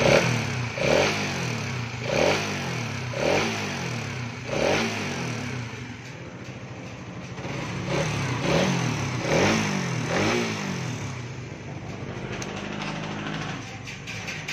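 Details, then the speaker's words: 2024 Suzuki Raider 150 Fi single-cylinder motorcycle, odometer 1,002, repeated revs: loud metallic chatter rising with each rev from slack cam chain tensioner; fix is resetting the tensioner. "So, ganun siya kaingay. So, ang gagawin lang naman natin dito, simple lang. I-reset lang yung kanyang tensioner."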